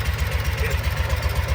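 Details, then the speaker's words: 2012 Kawasaki Mule 4010 EFI liquid-cooled V-twin, down on power: uneven lopsided idle thumping with gaps, running on one cylinder; rear cylinder dead miss confirmed by water spray test, caused by a broken spark plug. "all of a sudden it just lost it. We We lost the cylinder. So, it's running on one cylinder right now."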